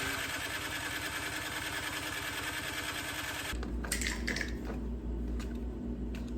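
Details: Discarded snow blower on electric start (pull cord broken), cranked after reassembly, priming and choke; quick even cranking for about three and a half seconds, never catches; cranks but won't start.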